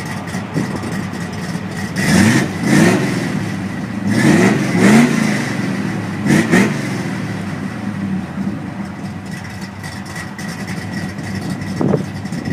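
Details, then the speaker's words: Jeep, 170,000 mi, flat-tappet cam, which had a bad lifter tick for months. After adding Marvel Mystery Oil, quick revs rise and fall cleanly to an even idle with no ticking: normal running, no valvetrain tick. "I don't hear any tick now the motor is running real smooth"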